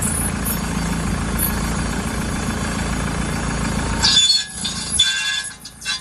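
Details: Car while moving: steady low droning rumble cuts out abruptly, leaving scattered clatter and faint higher tones; suspected bad wheel bearing, not confirmed.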